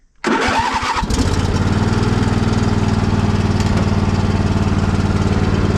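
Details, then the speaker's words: Poulan mud mower single-cylinder engine, cold start with choke out: lumpy idle with uneven beats, occasional stumbles and popping, a misfire whose cause is unknown; owner thinks it just needs servicing. "You hear that misfire? It's starting to pop a little bit. It just needs some servicing."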